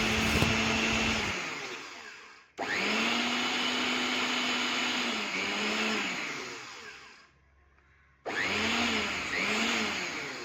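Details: Mixer grinder after its bearing bush was replaced: the motor spins up to a smooth, steady whine, coasts down and restarts cleanly with no rattle or grinding; normal running after the repair.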